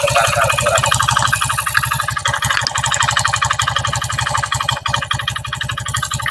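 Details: Honda Beat FI scooter idling, running without CVT roller housing: harsh rattly idle about four beats per second with clattering; cam chain tightening didn't help; worn piston and cylinder, fixed by piston replacement.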